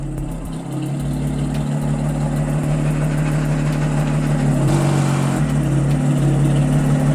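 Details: 2010 Audi S4 after new ignition coils, spark plugs and valve cover gaskets fixed a misfire; check engine light off, settles into a steady, even low hum with no stumbles or uneven pulses: clean normal idle, no misfire.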